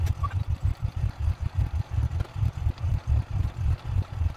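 Steady, even low thumping at about four beats a second; the single-cylinder engine has fired and is idling smoothly.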